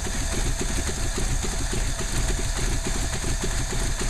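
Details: Ford 289 V8 at idle: lumpy, uneven stumbling beat instead of a smooth burble; misfire, cause unclear.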